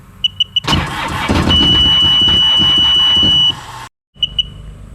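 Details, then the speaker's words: Sea-Doo jet ski, long sat swamped with water and rust, fresh plugs and gas: steady cranking for about three seconds, hits once or twice then dies; cranks and fires but no start yet. "it again uhoh I heard it hit one time there I heard it hit another time let's try it again it's it's trying yeah all right that's promising"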